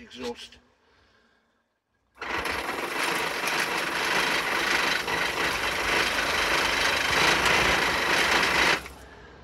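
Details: Laser four-stroke model engine, Flair DR1, low compression, fuel drawn through, glow plug powered: rapid, light, even starter whirring for about six seconds, never firing; cranks but won't start.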